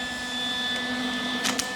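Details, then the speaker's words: Lincoln 180 amp MIG welder: steady, piercing high-pitched whistle over the fan hum from the rear cooling vent; stopped by placing an air freshener at the back of the vent. "welder so as you can hear this is unbearable this is horrible and it's coming from vent right here"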